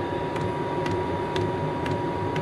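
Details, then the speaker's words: Chinese diesel heater installed in an MDC XT12 hybrid caravan, pump mounted on wheel arch: crisp ticks about twice a second over steady fan hum, normal dosing fuel pump ticking; owner worries it may disturb sleep. "you can hear that ticking away you wonder how you're going to go sleeping with that"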